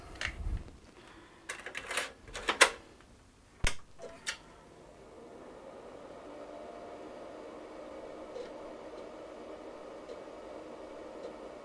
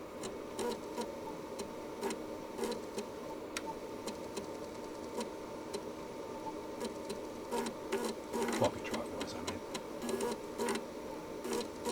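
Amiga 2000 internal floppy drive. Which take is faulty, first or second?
first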